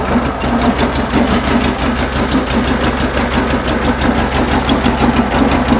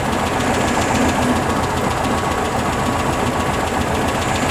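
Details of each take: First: Warm idle of a 1974 VW Beetle flat-four with dual 34 carbs and points ignition: a busy, slightly uneven beat of about three pulses a second. The sync tool reads 5 on one carb and 10 on the other, so the carbs are out of balance and need synchronising. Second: 1974 VW Beetle flat-four with dual 34 carbs, just tuned: even, steady chuff at idle with no knocks or misses; starts and runs healthy, valve cover leak and valve adjustment still pending.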